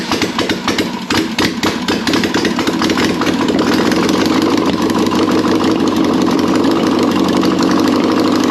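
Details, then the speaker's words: Air-cooled 1600cc VW Beetle engine, candidate for 1974 VW Bus, running with no exhaust or headers: loud raw rapid rasp, steady, no knocking heard. "now that is what I'm talking about we got that to finally run I didn't hear any knocking anything like that sounds freaking good"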